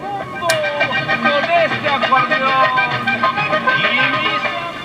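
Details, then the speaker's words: 1935 Crosley 655 tube radio chassis after repair, tone control being tried; the volume control was treated with WD-40. Steady music plays clearly with no hum, crackle or distortion, and the level holds even. The audio works properly. "Alright, let's try the tone control. Sounds good,"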